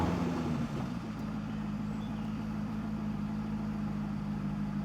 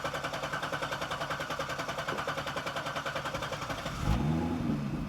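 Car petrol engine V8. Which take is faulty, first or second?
first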